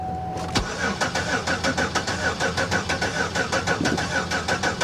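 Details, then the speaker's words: Car on a booster pack: even starter churning at about four compression beats a second, never a single firing pop; cranks but won't start, thought not to be a fuel issue. "nah she's making no attempt to start at all none and i'm not gonna sit here and kill my booster pack over it"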